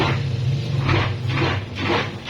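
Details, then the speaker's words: Tornado washing machine running: motor hum with rhythmic scraping about twice a second from the wash tub, as the pulsator rubs a raised ridge beneath it; removing the pulsator quiets it. "غسالة تورنادو، مشكلتها ان هي بتعمل صوت في حلة الغسيل لما بتيجي تشتغل."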